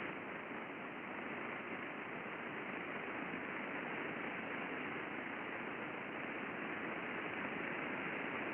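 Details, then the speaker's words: Steady rushing hiss with faint irregular crackles from an NDE fan bearing in ultrasound condition monitoring: alarm triggered, early friction and light impacting; it degraded dramatically within weeks and was scheduled for replacement. "We've got an alarm set here. We have evidence of friction. We have evidence of some impacting."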